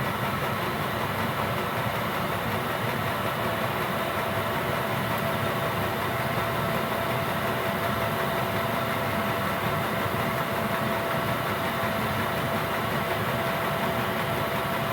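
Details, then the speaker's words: Gearlasso 8kW Chinese diesel heater in manual mode, about 18 minutes running, turned up to the top level (P10) with the fuel pump sped up: steady, even roar with constant fan hum, no surging or sputter; burning cleanly at constant full output. "So that's running flat out now in terms of output power. And that's a constant output power."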